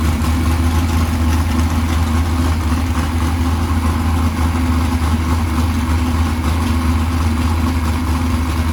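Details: 769hp 409ci Ford 351 Cleveland on engine run stand, after starter grinding fixed: deep, steady idle with even lope, no knocks or starter noise; idling normally.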